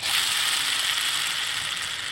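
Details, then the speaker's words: VAZ 2101–07/Niva gearbox on the bench: a dry, gritty ratcheting rasp as the worn input shaft bearing is spun by hand. This bearing caused the box's noise, heard with the clutch released and silent with the clutch pressed. "показываю вот он первичный вал вот так он раз соединяется вот он подшипник первичного вала я вам показываю почему эта коробка попала в ремонт"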